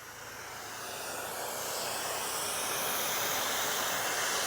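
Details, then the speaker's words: Detroit Diesel 6V92 semi truck, air brake system: a steady high-pitched hiss builds and holds once the park brake is set, then cuts off. Air escapes past a small gasket, suspected bad; it didn't leak before. "little gasket right there I guess the gaskets bad it wasn't any air coming out of it before but whenever I set the park brake air comes out of that"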